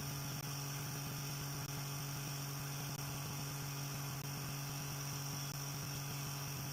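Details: Small motor on newly finished mount driving a generator under electrical load: steady high hum holds pitch with no droop, unlike the other generator which slowed noticeably; running normally.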